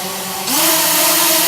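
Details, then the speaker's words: Quadcopter with a slight throttle-up, hands off: loud whining motors rise in pitch and keep climbing without lifting off; owner suspects propeller shaft threads reversed at the factory. "Look how crazy and loud it goes. It's revving high, it's trying to flip out."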